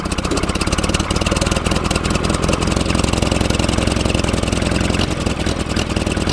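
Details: 1947 Farmall Cub idling while warming up, prone to flooding. Uneven chuffing idle that sputters, skips beats, then catches again; misfire because the valve beside the intake manifold on the right-hand side is stuck tight.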